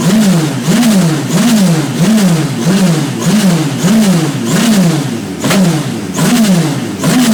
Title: My radical SR3 on the dyno with a misfire